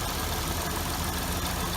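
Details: 2006 Hyundai Tiburon 2.7, 6-speed manual, after replacing hydraulic lash adjusters, timing belt and water pump: steady, smooth idle with about 90% of the ticking gone; any remaining slight tick is suspected to be injectors or clutch throw-out bearing chatter.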